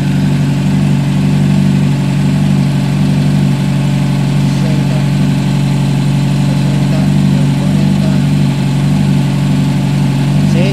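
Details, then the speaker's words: A Honda CBR 600 with a failing ignition coil, after extra insulating tape was added and the weak cylinder's temperature came up, idles evenly and smoothly with no stumbling; all cylinders firing, the engine runs stable. "ya está funcionando y ya se escucha estable la motocicleta ya revoluciona bien ya no matraquea"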